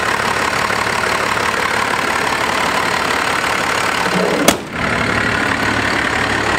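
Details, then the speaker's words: 12-valve Cummins diesel truck, non-intercooled, about 750,000 miles, just started: steady, even diesel clatter at idle with no misses, surges or uneven beats, engine sits dead still; smooth, healthy normal diesel idle. "Just beautiful, purrs like a kitten. Like no like odd shakes in the engine, no like odd rocks or, I mean, it just sits dead still. It just sits so still."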